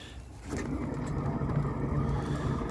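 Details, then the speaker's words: Erde motorcycle trailer wheel spun by hand, no play found, bearings were heard and felt through the car while towing: this side gives a noisier low steady rumble than the other, a worn wheel bearing. "All right, that's a bit noisier, isn't it?"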